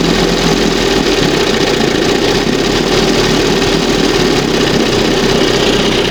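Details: 1971 Johnson 20 hp outboard after fitting smaller high-speed jet and readjusting carburetor: steady even buzzing idle, no surging or stumbling, smooth and settled; earlier idle was too fast but smooth.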